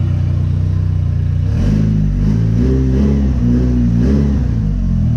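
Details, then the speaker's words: JDM Evo running deliberately rich while tuning: deep exhaust note rises and falls cleanly on throttle blips, no misfire or knock; smooth, responsive, AFRs good. "carved smooth like responsive it does what I tell it to and afrs look really good"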